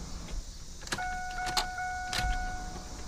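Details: Electric fuel pump priming at key-on after fuel system work, pumps at the rear, before leak-checking and first fire-up: quiet steady hum for about two seconds then cuts off with clicks; normal priming.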